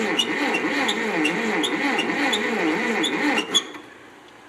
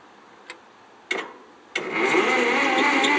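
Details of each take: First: 1957 Ferguson TO35 tractor, non-running, reportedly last ran 10 years ago, oil put in cylinders, carb cleaner sprayed into carburetor: steady starter cranking about three compressions a second, never catching or sputtering; cranks but won't start. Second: 1957 Ferguson TO35 tractor with loader and backhoe, non-running about 10 years, push-button start with shifters in neutral: a few clicks, then the starter spins quickly and evenly with no compression beats; normal cranking.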